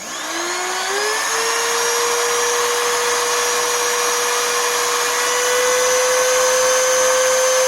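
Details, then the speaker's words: Oreck XL2800 vacuum motor, about 20 years old, after bearing replacement and repacking and brush seating with a seating stone: the motor whine climbs quickly, then holds a steady high tone with no rasp; normal running. "okay so did you hear how much higher the motor rpm went up when I got this seating stone here to do its job and to properly seat everything that motor speed shot up I mean just unbelievably high"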